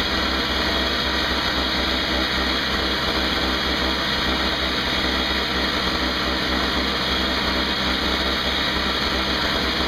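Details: Craftsman 5hp 21" two-stroke snowblower after carburetor repair (leaking fixed), 20:1 fuel mix: steady even drone with no misses, surging or knocks under a constant hiss; running normally.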